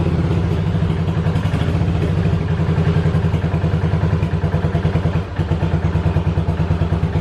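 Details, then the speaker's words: 1985 Yamaha Virago 750 V-twin after reassembly: lumpy, uneven chuffing idle with a brief stumble midway, nearly dying; owner suspects bad ignition coils or shorting plug wires and plans new coils, wires and plugs. "so i think i just i need to replace the coils i need to replace the wires and i need to redo the spark plugs again because now she did like you just saw she ran and she cut out and then started up she'd run for a little bit and then she cut out"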